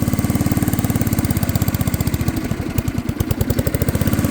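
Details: Unknown-year, unknown-brand childhood riding mower/ATV with many miles, jump-pack started on a damp morning while driven to the garage: small engine chugs with stumbling uneven beat wavering midway, struggling to hold speed; barely runs, rough running, cause unknown.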